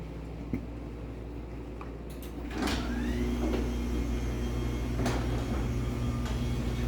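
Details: LiftMaster 84505R belt-drive opener, running motor-only with the door disconnected: a couple of clicks, then a steady, even hum with no grinding or catching; normal operation, judged kind of loud.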